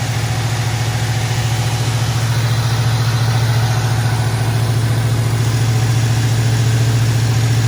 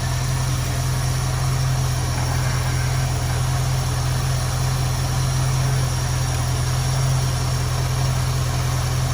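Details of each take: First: 1973 Ford Mustang convertible, 302 V8, Motorcraft 2150 two-barrel carburetor, automatic choke; just started cold, steady even idle held slightly high, regular pulse, no misses; normal fast idle on choke. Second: 1973 Ford Mustang convertible 302 V8, Motorcraft 2150 two-barrel carb; idle mixture screw turned in on one side until the engine runs rough, low uneven loping idle from lean mixture, to be backed off until smooth.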